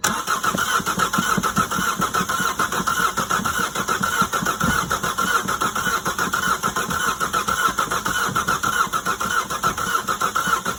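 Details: Opel Astra H with Z17DTH diesel won't start, starter suspected but unconfirmed: steady even cranking throughout, engine never catches or fires; cranks but no start.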